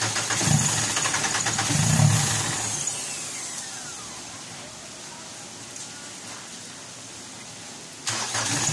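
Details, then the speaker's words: Mitsubishi Pajero diesel that starts, then dies after about a minute: cranks, catches roughly, then fades. Injection pump can't build pressure; shutoff valve and pump valve checked fine, weak return flow. "ang problema niyan guys ay injection pump na hindi siya makh ng pressure"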